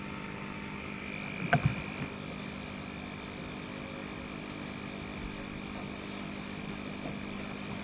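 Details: Sunsun CT-202 aquarium air pump running through an airstone: a faint, steady electric hum with a light buzz, about 6–7 dB above room noise, no rattle. The pump is running normally.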